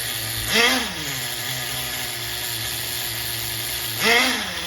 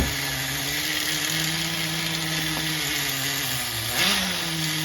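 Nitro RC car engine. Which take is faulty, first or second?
second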